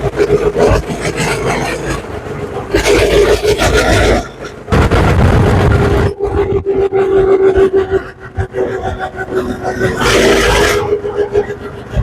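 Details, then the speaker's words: GoPowerSports Lifan 212 single-cylinder engine after rejetting from 0.28 to 0.36 jets (previously too lean), riding under load; repeated clean rising pulls with throttle, no stumble or breakup; far more power and bottom-end punch, normal acceleration. "Okay, it's got a ton more power and a whole lot more punch off the bottom end."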